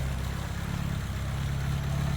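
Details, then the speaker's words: 1980s Vauxhall hot hatch barn find idling, deep steady burble from the downward tailpipe with no puffing or ticking leaks; exhaust has no holes, clean healthy idle. "That's really nice. >> It's sweeter than that, isn't it? >> Exhaust has not got holes in it."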